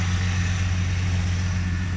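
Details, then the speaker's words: 1981 Ford Mustang idling: low, soft, even hum with no misses or knocks; a very smooth, quiet, healthy idle. "And yeah, like, this thing just, it is so quiet idling. It's amazing."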